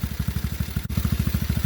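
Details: TaoTao GK110 go-kart, 4-cycle single, restarted after new carburetor fitted, checking idle adjustment: steady even thump roughly ten beats a second, no misses or stumbles; clean, healthy idle.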